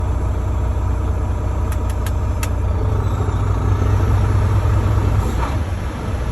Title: Volvo D13 Rough Idle